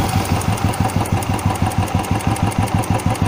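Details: Single-cylinder carbureted motorcycle after throttle stop screw adjustment: steady, even idle with a regular low thump, about three pulses a second, set high enough not to stall in traffic; normal idle.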